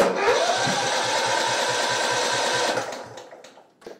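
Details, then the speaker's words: Simplicity Regent mower, 14hp Kohler Command engine, spark confirmed, no choke, full throttle: fires and chugs roughly four times a second under three seconds then dies, sputtering; probably flooded with fuel, carb needs cleaning; flooded carburetor. "so good that uh that is probably flooded like crazy okay"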